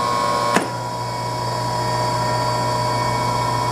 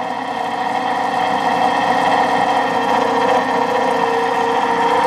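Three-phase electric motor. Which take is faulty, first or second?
second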